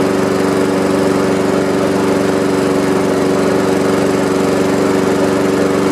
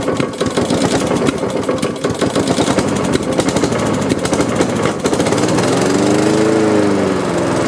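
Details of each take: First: Honda HRX217 electric-start mower that sat outside for years, started on third try after likely water in carburetor from washing; smooth, steady single-cylinder hum, even firing: normal running. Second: Honda HRX217 electric-start mower that sat outside for years, with new filter, half tank of gas and very dark oil: several seconds of uneven cranking and chuffing, then it catches and runs steadily. Slow start; owner suspects water in carb from washing.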